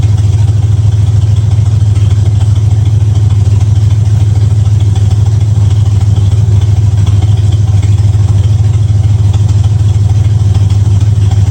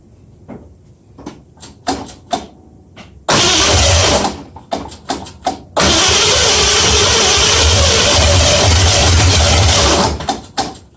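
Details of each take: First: 1965 Ford Mustang V8 idling with a deep, even, unbroken beat and no misses or knocks, after new headers, timing set to 12 degrees before and idle screw turned three quarters; sounds real good, normal idle. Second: 1965 Mustang first start after fitting new headers, moving on from the 2bbl: short cranking bursts, a brief catch that dies, then a loud ragged run; owner got something wrong, unsure of timing, suspects firing order too.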